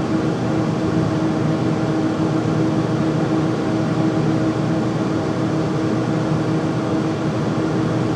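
Steady loud roar with a constant hum and no rhythm or knocking; the furnace runs noisily, cause unclear.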